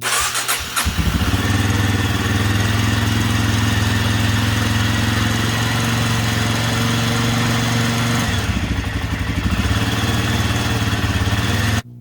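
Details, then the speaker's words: Rebuilt 1993 Suzuki DR 250 single started with choke on after oil and filter change, valve adjustment and new spark plug: starter whirs briefly, catches and settles to steady even thump at idle, no missing; normal start and idle. "so uh we're gonna go ahead and pull the choke on turn the key on hit starter button"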